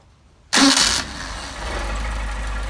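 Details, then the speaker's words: Hot start of an engine on freshly tuned Solex 44PHH carburetors: quick crank, catches at once and settles straight into a steady, even idle; a healthy hot start. "a hot start. Okay. I tell you what, those are really, really nice carburetors."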